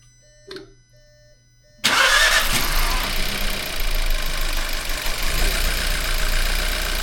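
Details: 2017 Volkswagen Jetta 1.4L TSI, over 200,000 km, with random misfire and EPC light, after intake valve walnut blasting and new injectors but before coil replacement; cranks, catches, then idles unevenly with a slight stumble under the exhaust rumble.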